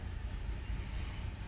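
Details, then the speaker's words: Nissan Altima 2.5L four-cylinder, 101,000 miles, codes P0011 and P0300: low, uneven exhaust rumble that sags and stumbles with the car shaking, about to stall, and it dies in gear; faulty intake valve timing solenoid, before replacement. "You can hear it in the exhaust. That's about to die. And as soon as you put it in gear, it will die."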